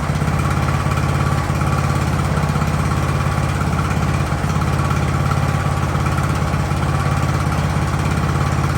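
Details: Ariens hydrostatic-drive riding mower, sat at least two years, idling in neutral in a cramped shop at about 30 degrees: single-cylinder engine holds a steady, even putter of about three and a half beats a second; smooth, normal idle.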